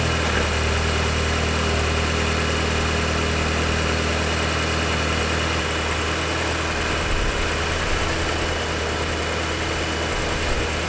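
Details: MK6 Golf GTI Edition 35 TFSI engine starting after the cam follower behind the high-pressure fuel pump was checked and replaced: smooth, even idle with a steady low hum and no ticking or knocking; runs healthy.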